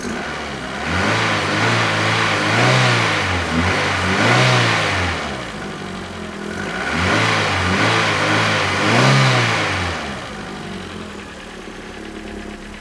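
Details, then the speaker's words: Renault Twingo petrol engine with poor compression on cylinder 4 (after valve clearance and valve stem seal work), lambda sensors warm in closed loop: revving in slow swells with uneven stumbling beat, occasional misfires; better but not ideal, suspect old black spark plug. "c'est mieux mais c'est pas idéal vous entendez il y a quelques ratés hein"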